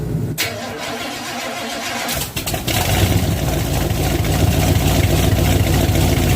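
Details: 1967 12-bolt rear axle with worn ring and pinion, wheels spun at about 50 mph on jack stands; steady rough freight-train rumble with no clean tone: worn, poorly meshing ring and pinion gears.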